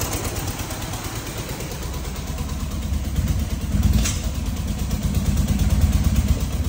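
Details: Fiat 126p BIS two-cylinder after valve adjustment raised compression, now running on both cylinders: lumpy uneven beat swelling as revved; rough running, head gasket leak suspected.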